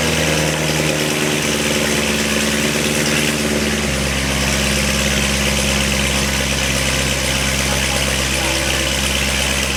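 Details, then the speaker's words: C7 Corvette Z06 V8 after LG Motorsports long tube headers, high-flow cats, X-pipe, O2 sensors, new plugs and oil: loud raspy idle with lumpy cam rhythm, steady, pitch shifting slightly midway, no knocks or ticks; healthy, Corsa to clean rasp. "So now the Corsa will clean up that kind of factory rasp. But I like it, you can hear the cams."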